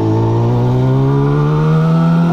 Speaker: Suzuki one two five twin 1972. I've only just pulled away it feels really smooth